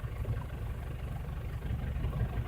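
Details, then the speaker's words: 2009 Ford Everest 2.5L diesel with a low-power complaint: deep idle with a faint uneven lope when injector number one is cut out during a contribution test, showing that injector is contributing. "but it kind of misfired a little when I shut down that injector number one which tells me that injector is contributing"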